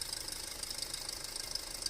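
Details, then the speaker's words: 2008 Audi A4 2.0T at idle, check engine light on with codes P119A and P2279: rapid, light tapping rattle over a hissy idle, traced to the failed PCV diaphragm built into the valve cover. "So there we go. It's going to be the diaphragm that's built into this cover. So yeah, when you hear that, that's your valve cover."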